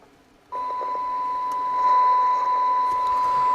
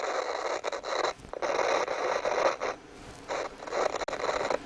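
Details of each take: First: CB radio receiving a test-set signal on 27.79125 MHz: clean steady test tone with faint hiss, still clear at 2 and 1 microvolt, showing good receiver sensitivity; volume pot scratchy. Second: CB radio on test bench, bursts of harsh crackling hiss through its small speaker cutting in and out as the control is turned; a very scratchy potentiometer, though the set otherwise receives well down to one microvolt.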